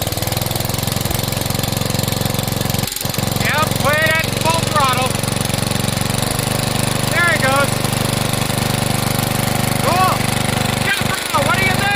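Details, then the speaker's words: 12 HP Briggs & Stratton flathead engine after sump/PCV gasket replacement and carburetor cleaning, choke off: small single-cylinder putters evenly at idle, then rises to a steady full-throttle drone without misses; running healthy, no leaks. "Whoa. Choke off. That's idle. Go back up."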